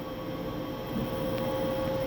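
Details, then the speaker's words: Samsung 10 kg washer-dryer after broken-shaft repair: smooth, even spin with steady motor hum, no knocking or scraping; a small noise at the end is the dryer fan with a damaged bearing. "sereninha máquina sem barulho nenhum só barulho do motor funcionando"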